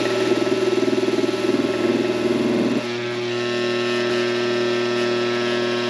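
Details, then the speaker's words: Coleman Presidential II furnace blower motor, cleaned and greased with synthetic grease, bench-run on a cord: rough pulsing warble first seconds, then steadier whine; runs noisy, shaft has slack, owner suspects worn bushings. "It doesn't sound real good. Doesn't sound good at all."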